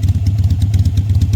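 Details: Motorcycle after spring maintenance (oil change, new bulbs), ready to ride; steady, even low thump at idle with quick regular firing pulses and no knocks or rattles; normal healthy idle.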